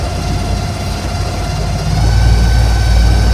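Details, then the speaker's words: Electric Yacht 10 kW electric motor replacing the diesel in a vintage schooner, engine cover off, in the slip, phone recording: even hum rising and thickening from about 1,000 to 1,800 rpm with faint steady whine; smooth run-up. "So we're gonna bump it up. That's right at 1,000 RPMs, about 1,300. The boat's moving in the slip pretty good. 1,500 RPMs, 1,600, 1,800,"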